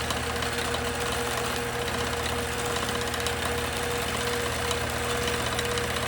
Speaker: And you can hear that the machine sounds different. With the stitch regulator off, you're not hearing that constant sort of revving up, slowing down, because that's regulating the stitch size.